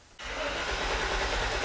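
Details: 1995 Chevy Suburban 5.7L, towed in with a crank-no-start: the starter gives a loud, steady churning crank and the engine never catches. The fuel pump prime whine sounded healthy.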